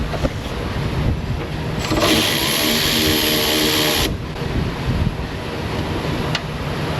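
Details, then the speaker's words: 1969 Corvair (paperwork says 69) flat-six, unrun for years, fuel gauge dead: long steady starter grind about three turns a second, never catching; fuel-starved crank no-start, suspected simply out of gas. "nothing yet be funny if this thing's just out of gas just huge waste of everybody's time"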